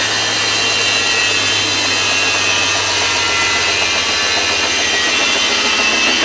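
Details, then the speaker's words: Sears factory-refurbished washing machine on the spin cycle: a constant, very loud hissing roar like a jet spooling up; abnormal; a supply wire had earlier melted, and a short in the washer is suspected. "never heard of a washing machine that does that but what I don't understand though is it's that powerful on the spin cycle but yet"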